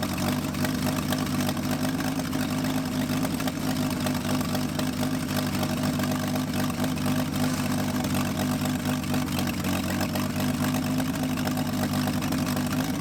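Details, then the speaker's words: Chevy C10 truck sitting for decades, first start, idling on full choke with key start: a steady idle with a busy, slightly ragged clatter; the cause of the roughness is unclear. "she doesn't like anything less than full choke I reckon the least we can do is just enjoy the fact that I can turn it over with the key"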